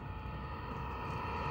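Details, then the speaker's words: Vevor 5 kW Chinese diesel air heater in weatherproof box build, warming up after start, exhaust routed outside case: quiet smooth unchanging hum with light steady whir, no ticking or surging; normal running. "And now the unit is just warming up and I'm gonna see how it performs. This thing is really quiet, you guys."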